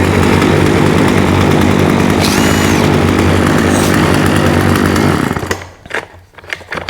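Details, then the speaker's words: Husqvarna 36 chainsaw with 14in bar, running without choke after carb clean-out and fuel line replacement: steady buzz for about five seconds, then cuts out and sputters in ragged bursts. Coil or electrical fault suspected; off switch also not working. "Huh? See, it was like cut cutting in and out. So, that's one of a couple of things. It's the coil or some sort of electrical type problem."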